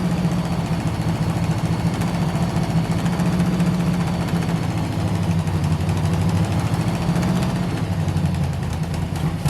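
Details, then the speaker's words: 1971 Chevy Nova small block V8 with timing too far advanced being backed off; rough, lumpy idle with sharp ticking puff on each firing pulse; misfire felt, plugs dry; blown header gasket on left bank leaking exhaust. "let's get this thing quieted down because part of why this thing sounds like crap more so than runs like crap is it's got just a blown out header gasket on the left bank"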